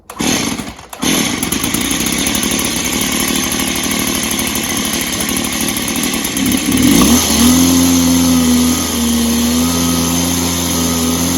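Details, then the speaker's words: Echo PB265ESLT backpack blower after new crank bearings, started on choke: brief stutter, then a steady, even two-stroke buzz, much quieter than before. Carb seems better. Normal running. "So, success. It's a lot quieter than it was, which it should be because it has some new bearings in."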